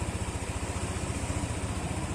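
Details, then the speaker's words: Yamaha NMAX scooter, odometer at 5877, over 2 years old, engine suddenly got noisy, likely failed tensioner; after repair, reassembly and coolant refill: smooth, even idle pulse at a steady low beat with no ticking or rattle; quiet, healthy normal idle again. "Ayan po, tahimik na po siya. Balik na po sa dati."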